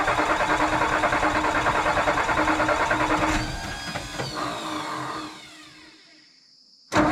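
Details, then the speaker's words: 1962 Ford F600 truck, sitting about 10 years, starting on a battery charged half an hour and not quite full, with no muffler fitted: harsh, raw blatting roar for about three seconds, then the engine dies away; loud open exhaust, no muffler. "still no muffler so it's going to be super loud that's tomorrow's project"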